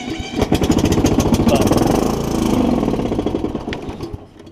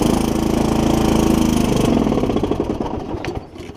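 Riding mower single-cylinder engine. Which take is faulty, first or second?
second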